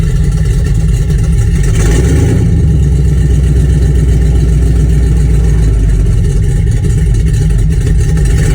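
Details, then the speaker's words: Project truck just started cold, after a plug change and carb tuning: low, steady idle with an even rumble, no hissing or stumble, a belt squeak also heard; normal cold idle, stable until it warms up. "It's going to be a low idler until it like warms up, which is the way this truck is right now, I believe. Stable there. Don't hear any hissing."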